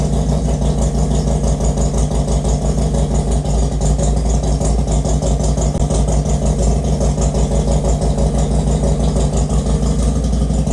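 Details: Harley Road Glide after teardown and rebuild (metal was found in the oil), with cylinders, exhaust and cam cover reinstalled: a deep, lumpy twin-cylinder idle thumping about three times a second, steady and even, with no knock or tick. It runs normally.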